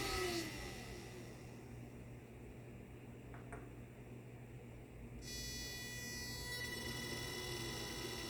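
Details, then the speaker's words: 3D-printed axial-flux BLDC motor on an Arduino controller, first run: faint electric whine with sliding tones and thin controller hum coming up to speed, noisy at startup; speed control works. "kind of noisy there at startup you can hear the speed controller speed control is working good"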